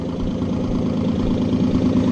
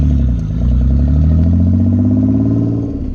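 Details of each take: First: Nissan 300ZX back on the road, loud lumpy idle with an occasional uneven putt-putt in the exhaust beat; owner unsure whether it's a different misfire, and it comes and goes. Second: Nissan 300ZX back running, loud exhaust blipped several times, revs rising and falling smoothly without stumble at this moment, though an intermittent putt-putt, possibly a misfire, was heard earlier: sounds healthy.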